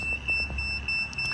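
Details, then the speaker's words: Garden railway track, meter continuity test across the line after re-seating a rail insulator: continuous high tester tone shows the track is still shorted, so the insulator was not the cause. "I fixed it so the insulator is fine now but it is still shorting so nope that wasn't it"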